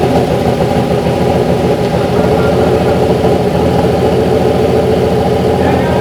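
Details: BMW M50 straight-six turbo build, with a new 4 bar MAP sensor and high-output coils, just after its first start without coolant: steady, deep, even burble at slightly fast idle, no misses or knocks; running fine.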